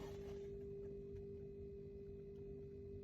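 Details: Dacia Duster 4x4, 1.5 diesel 114hp, idling: a steady, pure high-pitched whine holds one pitch over a low idle rumble, coming from underneath the rear seat; fuel pump whine. The owner separately suspects a turbo noise; no error codes.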